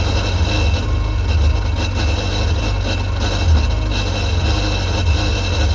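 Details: 2001 Sea-Doo GTX 951 DI two-stroke jet ski after rebuild, running on the flushing hose: steady, even burble at idle without misses or knocks; normal idle, runs smoothly.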